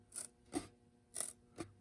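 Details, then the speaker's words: Seismic Audio GFC 12 subwoofer, cone pushed by hand: four dry, scratchy rasps with no tone, one per push, heard as unusual spider break-in noise; the suspension seems to rub, cause unconfirmed. "Phew. That is, I've never heard a spider break in like that. That's interesting."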